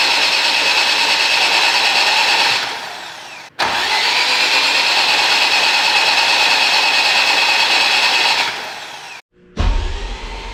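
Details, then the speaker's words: AWD Civic Type R, new engine first start prep, plugs out, injectors/fuel pumps disconnected: two long bursts of even high starter whir with no compression chuffs, building oil pressure to 45 psi; normal cranking. "Spark plugs are still out, injector or fuel pumps are disconnected. I just want to build oil pressure and make sure we ain't got leaks."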